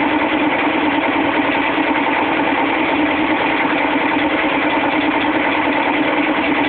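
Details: GE WBVH6240FWW front-load washer in spin cycle: loud, relentless metallic clatter as the corroded tub spider, with 2 of its 3 arms broken off, beats against the back of the metal tub.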